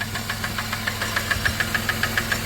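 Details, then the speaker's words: 1997 Dodge Caravan LE idling on ramps: sharp, steady metallic knock about seven times a second from the bottom end on one side; bad rod or main bearings suspected, oil pan to be dropped to check. "oh yeah bottom end on this side oh yeah that's bottom end sounds good all right we'll get her shut off don't want to run it anymore"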